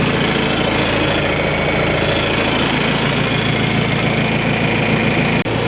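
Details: John Deere 310A backhoe diesel idling at first start-up after a fresh oil and filter change, with no leaks: a steady, even rumble with a fast regular beat and no misses or knocks. It sounds healthy.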